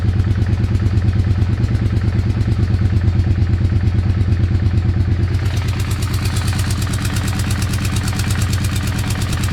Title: Weird engine sound